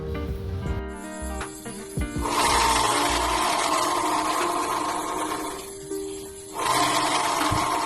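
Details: Honda PCX scooter rear clutch bell bearing, wheel spun by hand: loud rough howl near 1 kHz rising with speed, also howls when riding; suspected worn clutch bell bearing, replaced, after which it is very quiet.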